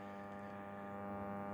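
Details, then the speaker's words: c. 1954 New Zealand Clipper 5M4 valve radio, original power transformer, drawing 140 V at 6 W: steady low buzzing AC hum, one side of filter capacitor open (crusty pins); temporary capacitor to be fitted for testing. "e one side of the filter cap is definitely open. You can hear that AC hum."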